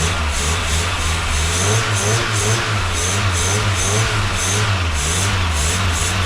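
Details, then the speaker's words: VW Golf II carburettor petrol engine right after carburettor rebuild and first restart: steady, even low idle, no misses, partly masked by clapping and music; white smoke, leaking manifold, owner thinks normal; normal idle. "fume un peu blanc mais ça va tour super bien je trouve le bol 200 chevaux bon il y a de la fumée partout les potes vous inquiétez pas je pense c'est normal"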